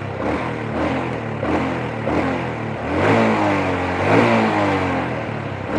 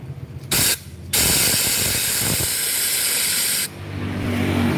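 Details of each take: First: Supra motorcycle brought in for weak power and a top speed stuck at 100 km/h: a steady mid-pitched engine hum rising and falling gently with throttle, no knocking, a slightly raspy exhaust; engine running normally, though an exhaust leak is noted. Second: Supra motorcycle lacking power, topping out at 100 km/h, piston ring gap already found widened: steady hard hiss of air escaping for a few seconds while pressurised; the valve isn't sealing, so compression bleeds away.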